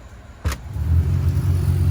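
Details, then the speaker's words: 2000 Acura Integra GSR B18C1, salvage car powered up after sitting six years: click then steady hum holding even on high, blowing dust and bad smell; blower motor works normally. "Do we have blower motor? Ooh, it smells bad. We got blower motor. Turn it on high."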